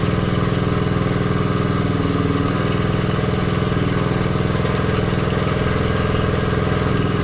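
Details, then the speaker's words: 1969 Honda CT90 Trail, a non-runner brought back to life: a steady, even single-cylinder putter at about three to four beats a second with no misses. Healthy idle. "here there we go now I'm happy very happy sounds good too"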